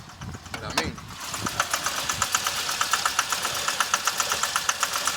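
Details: 2006 Chevy Impala 3.5 V6 flex fuel, heard under the hood: sharp ticking about once a second over unsteady rough idle, reduced engine power, traction service light, burning smell, stalls; codes P0301 and IAC; cam sensor and magnet replaced, throttle body suspected next.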